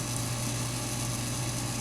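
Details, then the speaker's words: 2004 Englander 25PDVC pellet stove, auger motor just after annual bearing oiling that cures its straining groan: smooth, even low hum with no squeal or grinding; auger turning much quieter, normal. "but I hear already how much quieter the augers turning"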